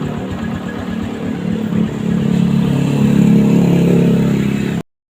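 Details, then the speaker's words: Honda Revo Absolute motorcycle after repair of a slack cam chain, new cylinder block and service, previously rough-sounding with a block oil leak; revs up smoothly to a steady even drone without rattle or chain slap; normal revving. "nah beginilah teman-teman setelah penyalahan mesin pun hidup dengan normal dan suaranya pun menjadi halus"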